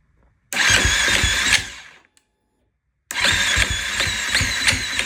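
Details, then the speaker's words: 2016 KTM 350 SXF after top end rebuild and new sprag gear: two bursts of fast, even cranking that never catch, sounding like low compression or valve issue; cause was a worn torque limiter gear. "So I'm like that's weird. It almost sounded like I had a valve issue or low compression or something."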